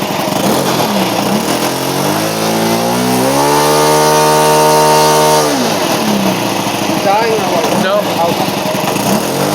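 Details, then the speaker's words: OS FS-91 Surpass II four-stroke glow engine, 10% nitro, 15x6 prop on Goldberg Super Chipmunk: rises to steady high drone then sags unevenly; unstable running, suspected too rich; high-speed needle turned itself, fuel tank leak found. "I wonder if we had it too rich for this the temperature"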